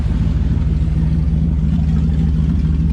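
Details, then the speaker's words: 1994 Camaro Z28 V8 after installing a Holley Sniper EFI in-tank fuel pump: deep, steady, even rumble with no misses, knocks or whine over the exhaust beat; running healthy with the new pump. "so alright everyone so God put the fuel pump in working good"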